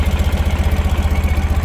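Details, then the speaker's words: 2013 Ural Patrol motorcycle, carbureted twin, started without choke: fires instantly and idles evenly at about fourteen beats a second with no misses or rattles; a very well-tuned engine. "you can hear without any hesitation of any kind that engine fires right up idling beautifully this is a very very well tuned example of a carbureted neural engine"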